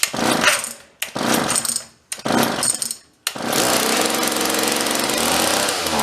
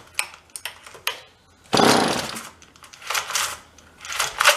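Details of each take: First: Vintage John Deere chainsaw rescued from a free pile, after pull-start repair, started with choke and some throttle, air cleaner off: three pulls then steady high buzz without stalling; idle set high, low and high screws still to adjust. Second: Vintage John Deere chainsaw from a free pile, primed with choke: short pull-cord rasps then one brief burst that dies; not getting fuel, carburetor to deal with; pull start also faulty.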